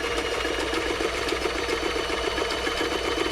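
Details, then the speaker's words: Toyota model 2640 sewing machine after service and plug fault fix, sewing test fabric: fast even whirr with steady needle clatter, nothing catching or knocking; reverse works; normal running. "sounds nice nothing's getting caught hold down reverse goes backwards release goes forward so reverse is working"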